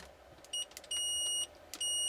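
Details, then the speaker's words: Bench meter set to continuity, testing the jumper between pins 3 and 4 of the 12AX7 tube socket in a Hallicrafters S-210 receiver under restoration: three crisp high-pitched beeps, closed circuit; continuity tester beep. "We're going to use my B&K Precision LED bench meter, and we're going to set it on continuity."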